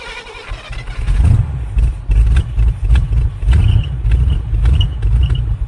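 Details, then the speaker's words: 1980 Camaro Z28 V8 junkyard car, with a little throttle: deep rumble with a sharp ticking puff over it; suspected exhaust header leak, possibly also a slight miss or cam. "Exhaust leak. Header leak up here. I hope that's just a header leak. Sounds like it."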